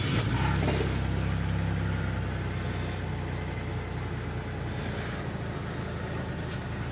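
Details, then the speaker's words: GM 3.1/3.4 V6 at idle, weeks after head gasket job, flashing check engine light: uneven lumpy beat with regular stumbles; codes P0306 cylinder 6 misfire and cylinder 6 injector circuit open, running rough. "So, as I check the codes right now, we got a cylinder 6 injector circuit open and a cylinder 6 misfire detected."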